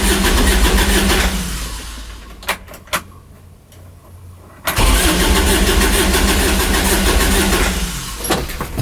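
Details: Kubota RTV900 diesel UTV (2007 or 2009), after a head gasket repair for white smoke, 12 volts and fuel reportedly reaching it: starter spins steadily with no firing, stops, then cranks again. Turns over but won't catch.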